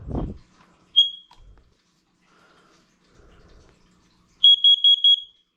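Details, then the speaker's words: Downstairs hallway carbon monoxide detector test: single high piercing beep, a pause, then a crisp group of four fast beeps; sounds good, alarm tests correctly. "that sounds good"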